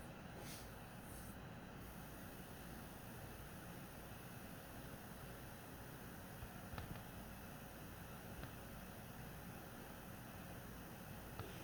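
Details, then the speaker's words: PS4 Pro 1st gen 7015B refurbished with copper shim and pads on south bridge and HDMI-area chip, boost mode, running a taxing game: soft steady airy hum, no whine, rattle or surging, about as quiet as 3rd gen; normal console fan noise. "as you can see already that the first gen is pretty much just as quiet as the third gen all right I mean they're very close"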